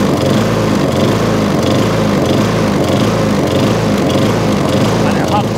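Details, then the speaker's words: MTD push mower, after the packed foam air filter, too thick and starving it of air, was thinned out. It ticks over evenly with a steady beat and no hunting or surging; the idle is smooth and settled. "before so it was a proper air filter in there idle's down lovely there was a new air filter in there"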